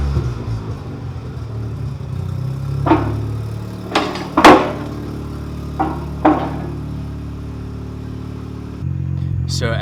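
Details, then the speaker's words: Mazda RX-7 rotary after new parts replaced the straight pipe: low, even burble with muted exhaust note and a few handling knocks; muffled, little noise, still pops. "It's muffled, little noise, still pops, so yeah, can't be happier,"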